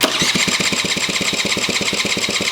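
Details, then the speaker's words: 1987 Honda Aero 50 scooter, ignition relay missing and starter jumped, a little gas given: quick, even cranking about seven chuffs a second but never catches; starter works, crank no start, cause unconfirmed. "It turns over. Let me see if I can fire it up. Give it a little bit of gas. Come on. So, good news is that the starter still works."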